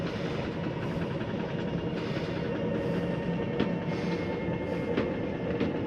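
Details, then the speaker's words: Rockwood Premier 2601 slide-out retracting: steady geared-motor drone with light regular ticking, no grinding. Normal slide-out retraction. "So once I've made sure I went through and shut off all of my lighting, I'll go ahead and turn this one on just so we can see our slide coming in. Come over here, hit in on your slide."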